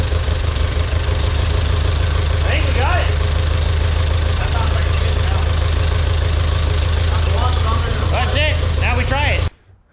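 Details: Ferguson TEA 2085 tractor, thought to be a 1951, after fixing an initial backfire; deep, steady low thump at idle, even for ten seconds, no misses or knocks; normal idle.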